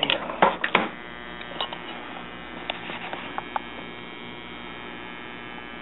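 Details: Washing machine parts wired together to test the motor, with the door safety switch removed, put into fill mode. A few clicks, then a steady low hum: the fill solenoid energizing normally.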